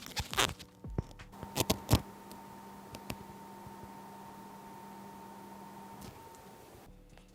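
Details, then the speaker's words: Used game console from a Goodwill mystery lot, running: after handling knocks, a steady loud whir with a constant low drone; fan noisy, owner suspects a thermal issue, possibly dirt inside, not confirmed. "Okay, so the first thing I do notice about this system when it's running is the fan is loud."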